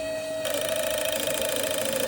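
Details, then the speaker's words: Set of injectors from a Honda Civic race car running a K20 engine, on a workshop test rig: fast buzzing clicks over a steady tone; one injector won't fire at all and some fire intermittently, like a connection issue. "I can't get this one to currently work at all. Some of these are intermittent."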